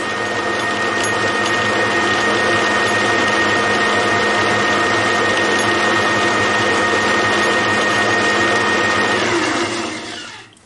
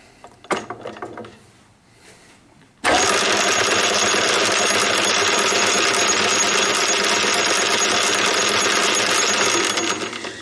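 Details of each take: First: Homemade gears cut on a shaper, first test run on the lathe at low speed: steady, even whir with a faint constant tone, no knocks or rough patches; gears mesh smoothly (one slightly oversized tooth binds at higher speed). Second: Homemade gear cut on a shaper, test-run on the lathe and sped up: sudden loud gritty whirring with a rough beat three or four times a second; one or two oversized teeth binding in mesh, to be filed down.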